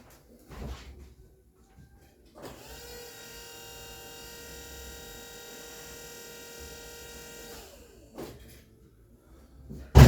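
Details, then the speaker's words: Turbo Citroen Saxo VTS after power steering reinstallation with new line join and Dexron 3 fluid, system bled: steady clean whine for about five seconds then spins down; healthy pump, vast improvement over before. "much improved, I think you'll agree. Obviously proof's in the pudding when we go to drive it, but yeah, obviously a vast improvement over what was in there before."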